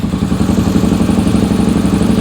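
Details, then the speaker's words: 2001 Suzuki SV650S V-twin, cold start on starting fluid and choke after new front spark plug: lumpy, uneven idle with missing beats, running on one cylinder; failed fuel pump. "you can definitely hear it running on one"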